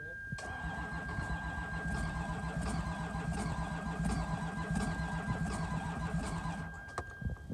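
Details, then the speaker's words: Toyota HDJ100 Land Cruiser 1HD-FTE diesel, flood-affected and unstarted since 2022 floods; starter churns evenly for seconds but never catches; crank no start. "the car just wouldn't start at all now stupidly we hadn't checked to see what the quality of the fuel going into the injector pump was like and as it turns out it was pretty much just all water"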